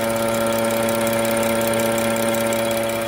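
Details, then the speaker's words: 2013 BMW 335i F30 with the N55 engine: a steady mid-pitched electrical hum over a smooth idle, not varying with rpm, from the failing vacuum wastegate control valve; valve was replaced; wastegate control valve buzzing. "2013 BMW 335i as you can probably hear it's making an awful humming noise definitely not normal this appears to be the vacuum power actuator for the wastegate this piece right down here"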